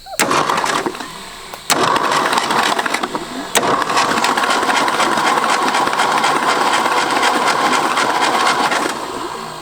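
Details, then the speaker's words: Late-1960s Ford F-250 abandoned 26 years with about 71 thousand miles, cranked by hot-wiring the coil without the key: rapid, even chugging as the starter turns the engine over. It never catches, but the starter works. "hey at least our starter works so oh yeah alright let's clean some of this off with some brake cleaner move on triple homicide"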